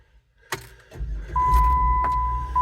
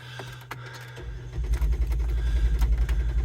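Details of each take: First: 2007 Jeep Wrangler JKU that won't start unless both front seats are occupied. With six weights (120-150 lb) on the seat: a short crank with the door chime pinging, then it starts and holds a steady idle; AC and radio working. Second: 2007 Jeep Wrangler JKU that won't start unless both front seats are occupied. With 80-100 lb of bricks on the seat, the starter cranks about 2.5 seconds and the engine almost catches, then dies; cause unclear.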